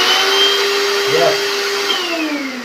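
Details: Kenwood mixer grinder from Dubai after repair: a clean, high-pitched motor whine holds steady, then winds down smoothly with no grinding or rattle: running normally.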